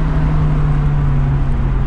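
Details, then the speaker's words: Car at full throttle on the road, window down: deep steady drone that won't pass 5000 rpm then slowly climbs, with popping; bogs as if starved of fuel, owner suspects injectors. "Evo pun gas bukvalno, neće da probije 5000, evo sad postepeno probija."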